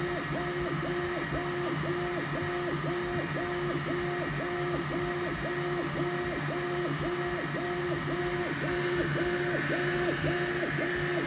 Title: neptune 4 pro squeaking sound